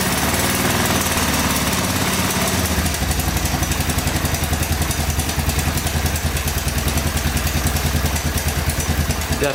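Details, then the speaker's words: 1985 Honda ATC250SX three-wheeler single-cylinder idling after valves checked in spec and cam chain tightened: quick even top-end tick keeping pace with the engine, fading at higher revs; loose cam/timing chain suspected. "doesn't sound too bad once you rev it up quite a bit it kind of goes away and that's another indication that it is the cam chain there"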